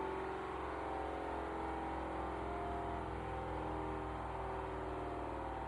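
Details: Hoover H-Dry 500 washing machine, just over 12 months old, after an engineer replaced a drum suspension clip: steady droning hum with a faint even-pitch whir; loud running noise the engineer called normal, cause not pinned down.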